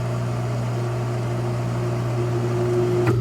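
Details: Single hot tub pump on a new Balboa BP7 spa pack, replacing a burnt-out pack, run on high speed to purge air, then clicked down to low: smooth, constant low hum, no rattle or screech, pitch shifting near the end; runs cleanly.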